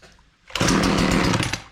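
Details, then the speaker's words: Husqvarna 240 chainsaw with chain brake engaged (as from kickback): fires and roars about a second then dies as throttle loads the clutch against the locked chain. Chain brake engaged. "your hand would have forced this forward and now the blade is locked up won't run we can start it"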